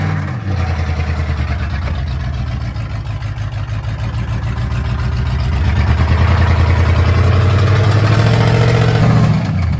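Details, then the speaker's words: Truck on 44-inch Boggers, mudding at full load: a loud V8 strains and revs with a rhythmic knocking pulse through the drone, very loud inside the cab. The motor is blowing up. "Bro, could y'all hear the knock? Oh yeah. What do you mean? So loud inside the cab."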